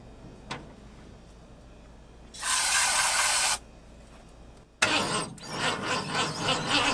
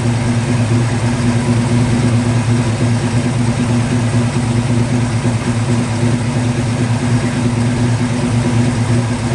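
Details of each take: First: 1950 Ford F1 truck, sitting many years in a barn, started with carb cleaner sprayed into the carburetor. Brief cranking, then it runs raggedly with uneven surges for a couple of seconds and quits; carburetor to be cleaned: engine runs briefly then stalls. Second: 1950 Ford F1 truck revived after years in a barn, MSD ignition, fuel pump hardwired, started via power probe: steady, even low idle with a smooth unbroken rumble and no knocks or misses; engine running healthy.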